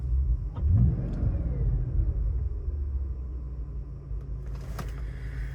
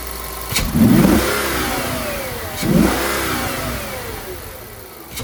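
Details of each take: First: Audi D3 S8 V10, idling after a 30% throttle pull; scan shows random multiple misfire, cylinder nine. Low uneven lumpy idle with periodic stumbles, one cylinder dropping out. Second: Audi D3 S8 V10 after misfire and oil leak repair (valve cover gaskets, coil packs, plugs), on the road: two quick throttle pulls, revs climb and fall smoothly with no stumble or popping; shifting slightly erratic after battery disconnect, throttle response good.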